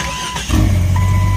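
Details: Jeep XJ after starter repair: brief starter whir, then the engine catches within half a second and settles into a firm idle. Starter engages cleanly; earlier failures blamed on mud packed into the lever because the trans dust cover was left off.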